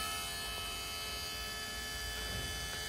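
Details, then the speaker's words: JCB diesel with the engine off during a fuel filter change: steady high electric whine of the lift pump priming and filling the filters after its switch is flicked on, then it clicks off. Normal priming. "so I flick this thing should on around here this primes it that's running"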